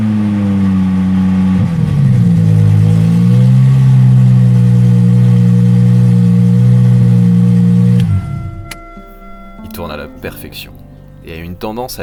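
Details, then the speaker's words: Aston Martin DB7 V12, freshly refitted engine with new injector O-rings, first start: climbs cleanly on a quick blip, settles evenly, then shuts off; runs perfectly and revs eagerly on light throttle; oil pressure normal, no leaks. "Je vous propose de plutôt profiter de cette sonorité avec un niveau de qualité audio qui lui rend justice. Il tourne à la perfection..."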